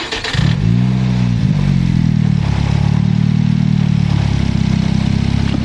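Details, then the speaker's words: Turbocharged car, after fixing a vacuum leak for P0507 high idle: engine catches, flares, then settles to low steady idle, below 1,000 rpm versus above before; no hiss or hunting, fixed. "I think we fixed this problem. It seems you're idling just fine now."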